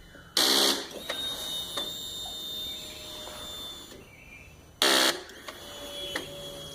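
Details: 2009 Yamaha R6 won't start, battery about a month old and kept on tender: two short harsh buzzes about half a second each, no cranking after either press.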